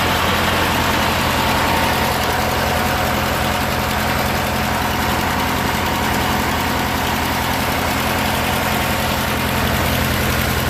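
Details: Murray riding mower, 16 hp Briggs & Stratton opposed twin, sat two years, after carburetor and fuel pump rebuild, fuel system cleaned: steady even twin-cylinder beat, smooth low thrum, no misses or knocks; normal running.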